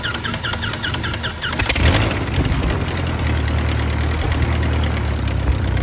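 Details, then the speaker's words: Engine just fitted with a refurbished 7-row oil cooler, new filter and 7 quarts of oil, primed with air, cranked to build oil pressure: under two seconds of cranking, then it catches cleanly into a steady, even idle with no misses. "I'm gonna go ahead and just crank it over here to make sure that we're building the oil pressure."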